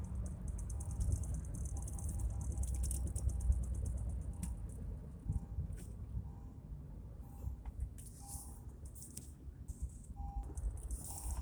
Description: 2014 acura mdx sh awd severe clunking noise and vibration at all speeds.